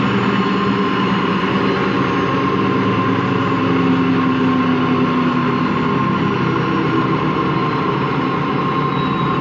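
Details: Washing machine run empty on rinse and spin: steady low growl with hum that climbs then holds; drum not loose, owner suspects worn motor or drum bearings, spin not reaching full speed at the end.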